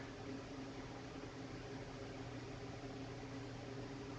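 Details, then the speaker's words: Old ornate Jacksonville Vicksburg ceiling fan, stack motor with rubber flywheel, variable speed at its lowest setting: quiet even hum, soft low drone, slow smooth rotation without knocks or scraping; normal running. "Crank it down even more, all the way to its lowest point. And as you can see, this fan just slows way the heck down."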